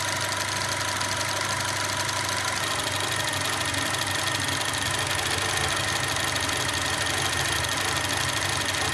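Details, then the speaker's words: 2010 Alfa Romeo Giulietta QV 1750 TBI, hot idle; uneven, lumpy, unsteady pulse, idle must be held up to avoid lumpiness; rough idle persists despite cleaned sensors, boost pipes, throttle body and PCV work, cause not found; owner doubts coils. "Yeah, I have to keep the idle up, otherwise it drops into the lumpiness."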